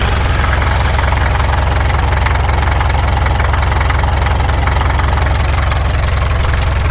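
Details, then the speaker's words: 1951 Caterpillar D2 diesel crawler, first start after checkover: even, solid diesel clatter at a steady few beats a second, no misses or knocks, no smoke; runs healthy, though fuel pressure low, transfer pump suspected. "Listen to that. That sounds pretty good. No smoke."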